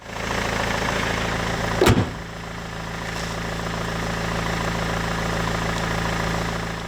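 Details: BMW 120d E87, M47 diesel, after replacing all four glow plugs (cylinder 2 fault) and cleaning EGR carbon from the removed inlet manifold: steady, even diesel clatter at idle after one sharp bang, no misses or knocks. No fault codes, some expected smoke.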